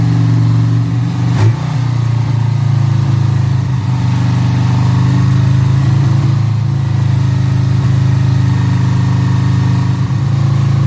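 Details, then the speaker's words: Abandoned 1986 Toyota Corolla KE70 first start after years: deep, loud, lumpy uneven idle with misfiring, running very poorly and getting hot fast; owner suspects the head gasket is blowing through between two cylinders, unconfirmed. "yeah it sounds like it's running really poorly i wonder how's it blowing through the head gasket into two cylinders"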